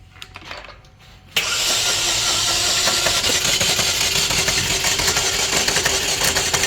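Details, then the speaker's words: 2011 Chevy Equinox 4-cylinder: the engine spins over fast with a light, slightly uneven cranking rhythm and won't start. A compression test confirms low compression on cylinder 4. "Alright, that's what you had. Alright, she's got low compression on cylinder 4."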